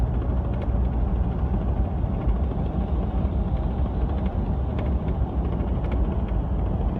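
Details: Brand-new LEER Bulldog canopy on a 2015 Ford F150 while driving; steady road rumble with faint irregular clicks and rattles on top, absent with the canopy off, so the canopy is the rattle source.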